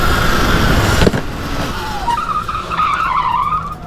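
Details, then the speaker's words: Sur-Ron Ultrabee electric bike upgraded with an EBMX X9000 V3 controller and 81V battery: after a tyre scuff, a thin steady whine wavers as the rear wheel spins while the controller calibrates the motor by finding the hall sensor. "This is how it calibrates the motor. It spins the wheel until it finds the hall sensor."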